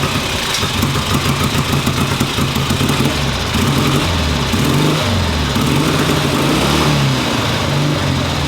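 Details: 1958 Ariel Huntmaster 650 parallel twin, first run after bench work: steady low throb idling evenly with no misses or knocks; normal idle.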